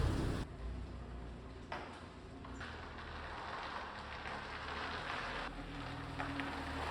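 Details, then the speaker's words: Subaru EJ boxer engine in a VW Syncro Doka conversion, cold, just after replacing noisy hydraulic lifters; even running and smooth revs with the lifter rattle gone, a faint remaining noise expected to fade when warm. "SUCCESS! I directly noticed that the rattling noise is gone but we will do a before / after comparison"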